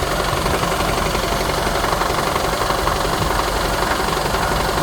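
Steady idle with a loose, fairly even rattle of roughly four a second riding over it; something in the engine bay is rattling, source unclear.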